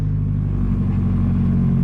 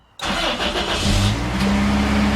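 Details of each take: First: 1997 Toyota Tacoma, $500 wrecked auction truck, first start, low on coolant: loud, deep, hollow, raw idle drone from nearly straight-pipe exhaust that quiets as it runs; owner thinks a couple of pinholes leak. Exhaust leak. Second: 1997 Toyota Tacoma, 270,000 miles, wrecked truck, first start after new spark plugs and plug wires: brief crank, catches right away and settles into a steady, even idle with no misses; starts and runs healthy.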